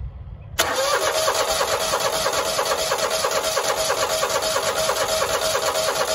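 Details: Grasshopper 225K zero-turn mower at 150 hours, no start after running out of fuel and refuelling, run without a proper gas cap: starter spins the engine steadily about three beats a second but never fires; no fuel from the pulse fuel pump, pump failed.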